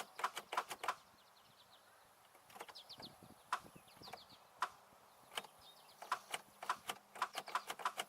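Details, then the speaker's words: 2002 Chevy Malibu sitting about a month and a half, battery just recharged: sharp clicks in bursts of three or four with pauses, no cranking; starter issue suspected, not confirmed. "I just recharge the battery and let's see if she starts we've got a starter issue"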